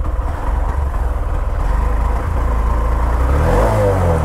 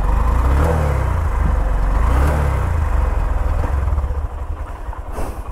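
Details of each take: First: Honda SP 125 motorcycle at 16,000 km, before service: even low idle thrum, then a clean rise in pitch as it is revved in neutral; no ticks, rattles or weird noise; engine still smooth and silent. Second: Honda SP 125 motorcycle at 16,000 km, before service, cooled down after washing: several rev blips rise and fall, slow to pick up each time; the lag is blamed on the engine being cold after the wash.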